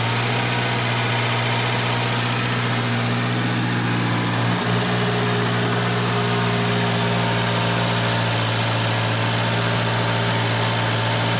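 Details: Junkyard-repaired Volvo 240 just started cold: even idle with a harsh hissing rasp over the low thrum, like an almost open downpipe. A bad exhaust leak.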